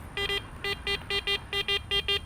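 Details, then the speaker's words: Garrett Apex metal detector in iron-masking test, coins among nails: quick paired mid-pitch beeps, about eleven in two seconds, above the low iron grunt; masking lowers the coin's high tone; mid tone above iron range, masked coin. "You're not going to hear a high tone. The masking is going to obscure that high tone of its true identity. It's going to bring the identity down, but you're listening for something above the iron range."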